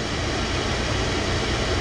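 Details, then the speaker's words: Oil-fired furnace burner at -15°F after refilling the low fuel tank and bleeding the line until fuel runs clear with bubbles about 99% gone: even, steady roar, no surging or pulsing, holding flame; expected not to trip offline again. "Now I'm confident that if I leave, it's not going to get another air pocket or air bubbles coming through and trip this offline. So now we should be good to go."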